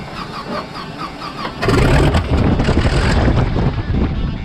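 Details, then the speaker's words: WW2 T-6 trainer aircraft, last started three weeks earlier: slow rhythmic cranking for about a second and a half, then the engine catches into a loud, uneven rumbling run; normal start. "It runs. It runs. It fired up."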